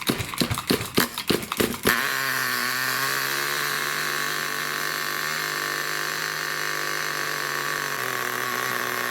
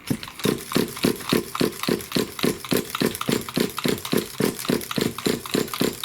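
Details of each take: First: New nitro RC engine during run-in, after tightening a loose glow plug following failed starts: sharp starting bursts then steady high buzzing run with no misses, very loud with heavy smoke; normal running. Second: Nitro RC car engine, pull-start with glow plug: rhythmic chuffing about three to four strokes a second but it never catches; cranks without starting, loose glow plug suspected, flooding checked.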